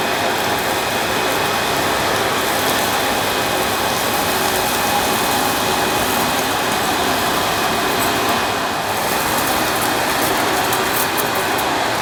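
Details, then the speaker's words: Panasonic MC-E862 bagged cylinder vacuum, bought new in box, picking up dirt on deep pile carpet: a steady, even roar with a faint high whistle and no surging or rattles; a relatively quiet, good performer running normally. "after using it for a short time I'm rather taken with this little Panasonic it's a very good performer it's a relatively quiet and it's nice to use even on this deep pile carpet"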